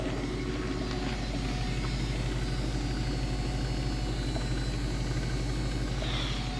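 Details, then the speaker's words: 1975 Mercedes 450SL at idle, heard from outside: engine runs smoothly without vibration, but a constant faint electric whir rides over it from a noisy aftermarket electric fuel pump. "entend bien la pompe à essence hein j'aime pas j'aime pas ça je sais pas pourquoi les gens mettent des pompe à essence électrique"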